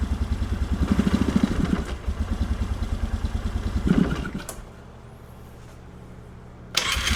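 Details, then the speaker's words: 1997 Polaris Sportsman 500, choke off, idle freshly set down: even single-cylinder thump at idle, then touching the throttle makes it choke and die within a second; restarts straight away. "this thing sounds fantastic at idle but uh check out what happens when you try to even touch the throttle"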